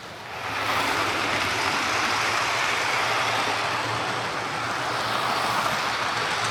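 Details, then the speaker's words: Hornby HST model power car running after service; one of the pair had its motor replaced and its bogie frames swapped. Steady, even whirr with light rail clatter and no catches; both run okay now, normal running. "Right, so that's these two HSTs sorted out. I'll go and give them a wee run on the way out."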